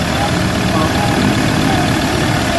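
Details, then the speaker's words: Ford Ranger 3.2 diesel with low power and no check engine light, idling: deep heavy rumble with strong abnormal vibration felt inside the cab, no clear knock; rough idle with engine vibration, cause not confirmed. "Lakas ng vibrate guys oh. Ayan oh. Lakas hindi siya normal. So ayan yung vibrate. Napakalakas."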